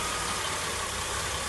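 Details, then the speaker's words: 2004 Mercury Monterey 4.2 with severe misfire, codes P0300–P0303, P0316, P0171, P1270: rough stumbling idle with chuffing exhaust and gurgling air back through the intake; rear bank misfire, catalytic converter damage suspected. "See how the engine's stumbling. Now if you listen close, I don't like what I'm hearing in the intake."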